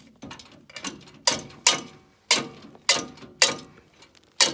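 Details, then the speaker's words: Logosol PH260 machine turned over during rebuild: sharp, uneven metallic clanks and rubbing as a loose drive chain slaps inside; machine must be stripped down. "you can see change loose in there see if i can get you in there that's no good"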